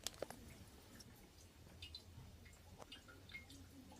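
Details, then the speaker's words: Toilet tank that keeps leaking down into the bowl even after a new flapper: faint irregular drips and a soft trickle in a quiet room; owner suspects the seal underneath. "okay I'm having a problem I taught it it keeps leaking down if you listen you can you can hear it and I replaced it the flap on it and it still has the leaking sound"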